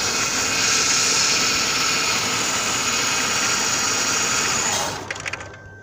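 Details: 2000/2001 Ford Taurus 3.0 L stalling at stop lights and reluctant to restart: steady high whirring run abruptly drops away and dies within a second when the wire is moved; intermittent short in the crankshaft position sensor connector.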